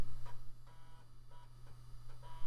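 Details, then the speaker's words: Floppy drive in an early-2000s Micro-ATX PC under test: short buzzy stepping chirps about every 0.4 seconds over a low steady hum; drive seeking normally and working fine. "Let's see what the floppy drive has to say. And it says, I work fine."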